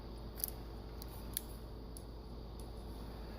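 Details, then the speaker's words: Meyer E57 snow plow pump, owned about 4 years, powered from a battery charger: sharp, uneven single clicks about one per half second over a quiet hum; the solenoid valve is moving normally, though the owner wonders whether the inconsistency comes from the terminals. "you hear that that is the sound of a valve moving so that's good"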